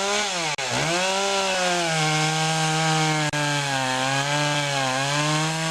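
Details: Poulan Pro two-stroke chainsaw after fixing a clogged air filter and sharpening the chain: strong clean scream holding high revs with brief dips under load, pulls smoothly at full speed; normal running.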